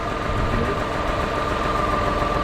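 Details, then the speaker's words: 2010 Ford Escape, running after a no-start, with charging at 14.4 V: rough, steady idle with a faint repeating knock under the engine note. Owner notes the knock; cause not identified. "a new battery I guess give me a little more cranking amps it should be good huh runs it's got a knock just needed uh some more cranking amps I guess"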